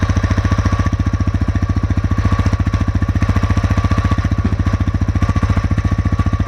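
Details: TVS Raider 125 cc motorcycle engine at idle: fast, even ticking knock of about a dozen beats a second over a low idle thump; owner suspects a tappet problem, with the tappet delayed in opening or closing.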